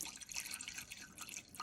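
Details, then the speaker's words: 1996 Malibu Sunsetter LX, MerCruiser Magnum Tournament Ski EFI 350, winterizing: antifreeze poured into thermostat housing hole heard dribbling unevenly out the block drains in a quiet space; passages clear, antifreeze flowing. "okay I can hear it dribbling out down there so I know that we've got flow down there"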